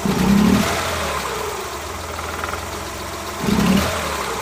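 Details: Suzuki Multicab F6A engine rough and uneven at idle with two short throttle blips toward 25% opening, irregular "Tak...Takatak...Tak" stumbles and vibration: random misfire under part throttle.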